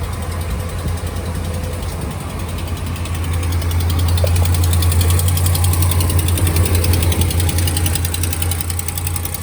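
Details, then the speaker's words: 2015 RAM 1500 5.7 Hemi at a cold-start idle: light, regular lifter-like ticking over a deep rumble that goes away once warm; exhaust manifold leak from broken header bolts, before repair. "h leak the exhaust leak it's like a ticking noise it sounds like uh lifters ticking sort of um only on a cold startup though that's how you know um that it's not the lifters because it goes away"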